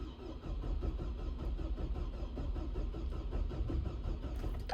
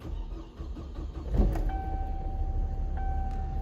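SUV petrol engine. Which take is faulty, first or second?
first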